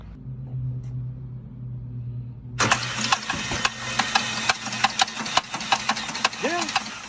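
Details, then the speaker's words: Car at about 178,798 miles, last oil change about 12,000 miles earlier, started making a noise: cranks and catches, then idles with irregular ticking and clatter; cause not determined. "So customer states car started making a noise."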